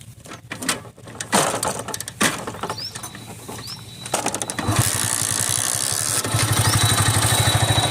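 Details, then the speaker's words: Hero Splendor iSmart 110 single after repair of engine noise from the self-starter one-way clutch, starter part removed; a few handling knocks, then quick even putter with no rattle or clatter, noise gone, healthy idle. "जिससे इसकी अब self तो बंद लेने के गाड़ी की आवाज़ खत्म हो चुकी है जो की स्टार्ट करके आपको गाड़ी में अब कोई आवाज़ नहीं है"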